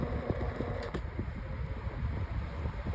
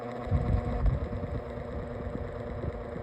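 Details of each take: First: Lasko Windstorm 18-inch pedestal fan on speed 3: steady low whoosh with faint light ticking, no buzz; the noise heard on low and medium stops and the fan runs quietly as it should, though the blade is still out of balance and shaking. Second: Lasko Windstorm pedestal fan on speed one: a low, uneven buzzing rattle under the hum and the fan visibly shakes; this abnormal vibration occurs on speeds one and two but apparently not four, cause unknown.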